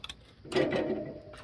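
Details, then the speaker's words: Garden tractor puller with electric fuel pump wired through seat and sled break-away safety switches: seat pressed on and off gives sharp ticks and short buzzing runs as the pump switches on and off normally. "I'm gonna push on the seat on off and you'll hear the fuel pump kick on and off"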